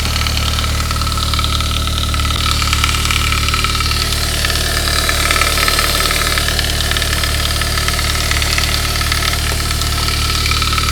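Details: 1999 Saab 9-3, 110,000 miles, after a head gasket job, cold start: fast, loose rattle about three times a second that fades within minutes, with hard lifters and high oil pressure. A hardened, shrunken upper timing chain guide was the cause; replacing it fixed the noise.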